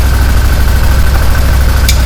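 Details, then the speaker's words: 2015 Massimo Militia 1000 UTV after fixing no-spark electrical faults including the crank sensor: steady low twin-cylinder thrum at idle, even with no stumbling; engine runs cleanly, though a clutch noise on one side is noted. "But that's a win right there, man. That is a win. That thing is fired up running."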